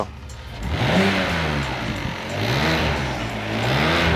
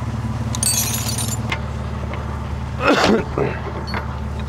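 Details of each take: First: BMW E60 petrol engine, warmed about 3 minutes, revved with the DISA intake valve connected: raspy, breathy vibration rising with revs like an exhaust leak but not one; sounds better with DISA disconnected, cause unconfirmed. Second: BMW E60 at idle, being checked for noise as it warms up because the gasket was suspected of burning: a low, steady burble with no ticking or puffing; normal idle.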